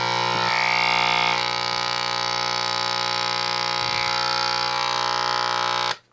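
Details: 1946 Sears Silvertone model 132.818 four-tube series-string TRF AM radio, bought not working: loud steady buzz with low hum underneath and no program audio; filter capacitors wired to the wrong tube-socket pin (off by one) leave the hum unfiltered.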